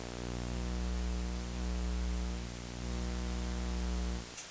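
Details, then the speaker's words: Steady low mains hum with a buzzy edge through the speakers, cutting out abruptly near the end. A ground loop is deliberately created with a dimmable lamp on a modified outlet while two mixing consoles are interconnected. "We can hear hum and buzz because of the ground loop."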